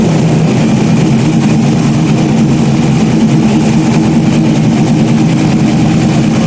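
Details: Freshly rebuilt stock-block GM 5.3 V8 race engine's first run after almost a year of rebuilding; loud, deep, even burble at idle with a steady beat and no knocking or misfire; healthy.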